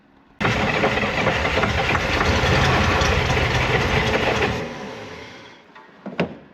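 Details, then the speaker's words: 1965 Corvair 110 hp engine after a starter replacement, pack-rat damage repairs and confirmed spark; about four seconds of rapid rhythmic cranking, then a lone cough; it wants to start but won't run, and the owner suspects the carburetors need cleaning. "So I feel like when I can't get the car to run on its own, it kind of wants to start, but it just won't run on its own."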